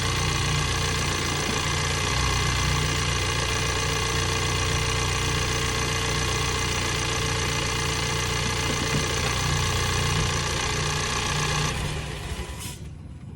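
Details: 2022 Ford Bronco 2.3-liter engine at steady idle with a fast, fairly even tapping of about three to four per second over the hum; engine noise, source not pinned down.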